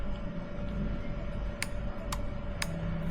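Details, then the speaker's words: Ford Transit minibus fuel pump relay (4-pin) tested on a relay tester after breakdown with low fuel pressure: crisp even clicking about twice a second, tester lights green; relay is good, in-tank fuel pump faulty. "testing the relay. Hopefully you can hear that clicking away. And if it's a good relay, it will light green."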